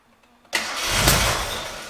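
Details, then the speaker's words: Gilbern Invader Mk3 barn find, one owner, first start attempts: silence, brief crank, then the engine catches and settles into a strong, even run with no knocks or misses; normal start and run. "oh okay i'll tell you what i tell you what that sounded sweet let's do it again oh my god nice that that sounded like a very good engine"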